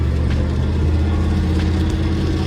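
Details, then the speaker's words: Old Ford bus engine after weekend teardown and reassembly for loss of power on highway, road test around town: steady deep drone pulling smoothly, better throttle response, engine spins freely, no knocks or misses; normal acceleration. "It's a lot happier. It's like got a lot better throttle response. It feels smooth, and the engine just like spins."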